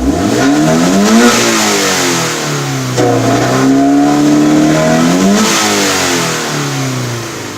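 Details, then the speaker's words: Scion FR-S with an eBay intake, steady part throttle: revs climb, hang flat around 3,500–5,000 rpm for about a second, then rise quickly again. Owner blames the eBay intake, not confirmed. "It's not like I'm stepping once I'm at 4,000 RPM. I'm like stepping super hard on it or anything like that. I keep my feet steady from, you know, every time I'm going on it. And yeah, so it stays in between 35 to 5,000 RPM for a second, but after it goes down, it revs up pretty quick."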